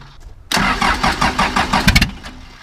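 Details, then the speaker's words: 2000 Ford F150 with swapped Cummins 4BT diesel and M5R2 5-speed, cold start: quick rhythmic cranking chugs for about a second and a half, then catches and fires with a little white smoke; sounds good and tight. "yeah [Applause] she sounds good a little bit of white smoke but I was cold but it's cold God she sounds good she sounds tight"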